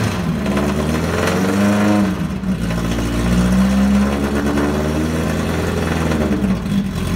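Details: NASCAR Herbie #1 Beetle race car from the 2005 film, 2332cc high-performance air-cooled motor, running after about ten years; deep, throaty revs rise and fall cleanly under throttle blips with no knocks or misses, normal revving.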